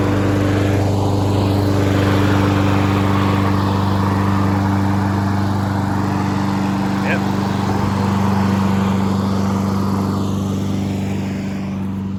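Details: Honda HRN216VKA lawn mower running on ethanol-free canned fuel, being run dry to winterize: steady, even petrol engine drone with no misses, surging or knocks; normal running.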